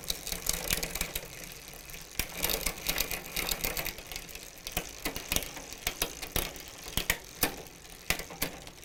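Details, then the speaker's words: Huffy bicycle with Shimano rear derailleur, before adjustment: irregular sharp clicks and ratcheting as the chain skips cogs or won't shift; low shift cable tension, fixed by turning the barrel adjuster counterclockwise. "basically you're shifting through the gears and you get to a point where it doesn't want to shift or it skips a couple gears as you're going"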